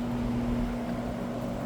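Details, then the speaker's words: Old, probably 1960s, Happy Home box fan, likely window-type, on high during an initial run: smooth, even fan drone with a steady low hum and no rubbing or ticking; runs like new, though the blade later hit the cabinet again. "Wow. I can't believe how good this [ __ ] thing runs, dude. It runs like brand new."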